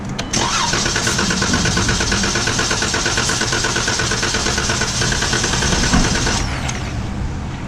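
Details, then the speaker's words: 2015 Chrysler 300 no-start: starter cranks at an even healthy pace about six seconds but never fires; starter fluid test later runs briefly then dies, pointing to a bad fuel pump. "alright guys today we have a 2015 Chrysler 300 this car doesn't start and we think it's a bad fuel pump"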